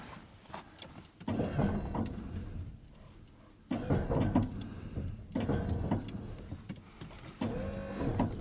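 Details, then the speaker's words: 1996 Ford F-350 Powerstroke diesel with Western cable snow plow, electric hydraulic pump: steady one-to-two-second whirring bursts, even pitch; plow now turning right well while a left-turn hang-up is checked. "Now goes great to the right. I think I'm just going to Yeah, let's keep going that way."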